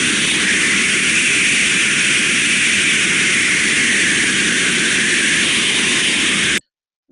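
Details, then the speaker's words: Ultrasound probe on a steam trap failed in the open position, passing continuous high-pressure steam: steady, unbroken rushing hiss of free turbulence with no fluctuations or pulsing. "you can hear from that sound it's just straight free turbulence there is no fluctuations in the sound okay"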